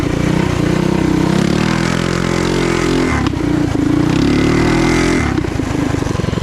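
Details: Trail Master MB200 mini bike with a Stage 3 223cc single, after swapping rubber frame bushings for metal ones. It pulls hard through the revs and eases off cleanly; the chain no longer skips under power, with no snapping or clunks.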